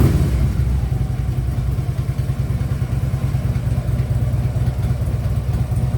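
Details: Harley Ultra Limited V-twin idling after new compensator fitted: steady low rattle and knock riding each firing pulse from the lower end; something seems loose, lifters already done, cause not pinned down.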